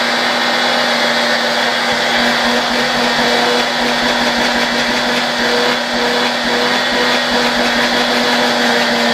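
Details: Vacuum cleaner motor run through a 1992 Ukrainian RS-6-220 triac voltage/power regulator: steady whine with constant pitch and airy rush, no grinding or rattles; running normally.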